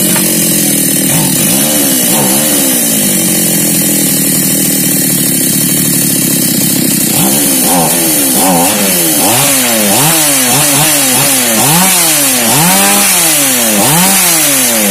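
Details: Mini chainsaw with a hard-starting problem, after repair: the small two-stroke buzzes steadily, then revs up and drops back cleanly again and again without stumbling; running normally.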